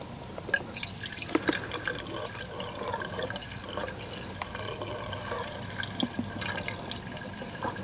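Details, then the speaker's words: Furnace condensate drain line tied in with the water heater, with 3:1 vinegar-water poured in: trickling, dripping water runs away without gurgling or backing up; the line is draining clear. "And I can hear it flowing. This particular one is clear, but that's just going to help keep that drain line clean."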